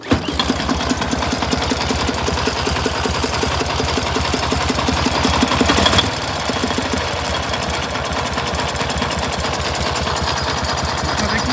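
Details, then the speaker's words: 1967 K750 motorcycle on 92-octane fuel, pulls fine, valve clearances were within spec but camshaft bushings worn: uneven twin idle with dull irregular thumps about three a second blowing back into the air filter; cause unknown. "но вот последнее время заметил что двигатель стал работать как-то не так то есть тяга есть все хорошо едет нормально но есть какие-то глухие такие бабахи в воздушные фильтры"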